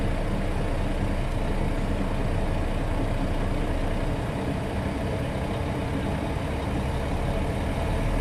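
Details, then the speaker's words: International truck at steady low diesel idle during air brake inspection; governor cuts back in within 30 psi of cut-out and the compressor recharges tanks toward 120 psi with an even pumping churn; normal air compressor recharge. "and I governor's cutback in and start to fill up pressure again so that systems running"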